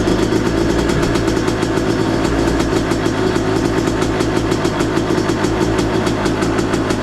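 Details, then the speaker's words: 2023 Yamaha YZ250 two-stroke with new Boyesen Rad Valve, no shock fitted, on stand at freezing temperature: first-kick cold start, crisp even idle on choke with steady pop rhythm, no hunting; healthy, sounds crisper, jetting untouched. "it's freezing out, so I don't want to go revving on the bike. It's just idling on its choke. Not bad."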